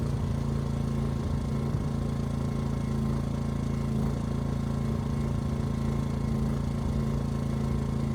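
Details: Ryobi RYI2300 inverter generator, 15 months old, after fix: stalling under heavy load solved by turning the easy-start knob further. Steady even drone, constant low hum, holds speed smoothly under load without surging or dying; normal running.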